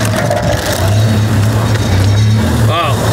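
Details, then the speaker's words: Merkur XR4Ti project car, first run after storage on a shipping container: loud, harsh rattling clatter over the low exhaust drone from under the car, exhaust sounds terrible; looks like a loose heat shield or undertray. "yeah it's like an undertray like me heat shield oh yeah it looks like a heat shield"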